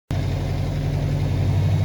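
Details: Car warming up after a radiator replacement and coolant refill, heater on full hot for bleeding: a short stretch of smooth, even low idle with a steady beat and nothing ticking or rattling, sounding healthy.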